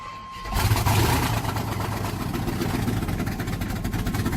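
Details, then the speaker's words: 1992 Chevrolet Silverado with a swapped 5.3 V8, first start on gas squirted into the intake: loud, raw, uneven rumble with sharp exhaust cracks. It runs rough because the exhaust headers are not bolted on. "Alright, so it sounded pretty rough because obviously you can see I ain't got the headers bolted up or nothing."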